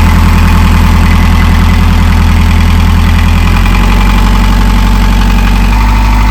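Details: Narrowboat diesel after in-situ repair, running while air is bled from system: loud steady idle thumping about two and a half beats per second, no knocks or misses; healthy.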